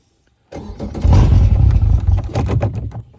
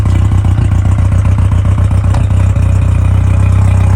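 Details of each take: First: Newly installed Yamaha VMAX 115 outboard, initial start with new fuel separator: starter spins it in uneven low chugs under three seconds, never catches; cranks but won't start, cause suspected, not confirmed. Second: Newly installed Yamaha VMAX 115 outboard, initial start with new fuel separator, primed: a few uneven pulses then a low, even burble and smooth quiet idle; normal idle, though no water yet from the telltale.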